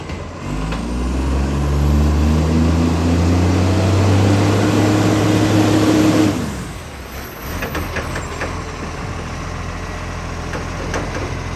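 Heavy diesel rumble with a loud, rapid, even puffing at roughly three or four a second until it shuts down: a big exhaust leak.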